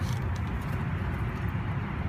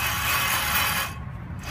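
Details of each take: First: 2004 Chevy Silverado 5.3L, passenger-side front wheel spun by hand on a jack: steady, low, even whir with no grinding, clicking or roughness; normal wheel bearing. The truck whines on the highway, and hub assemblies were being replaced. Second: 2004 Chevy Silverado 5.3L, jacked up, hub spun by hand: a coarse, gritty rumble with a hiss on top, steady as it turns; a worn front wheel bearing that whined at highway speed, before hub assembly replacement.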